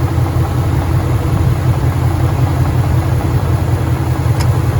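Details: 2013 Ford Mustang GT 5.0 Coyote V8, manual, 81,500 miles, idling: a heavy rumble with a faint, uneven low knock about three beats a second. Suspected rod knock, worse after driving; the car also keeps stalling after long drives.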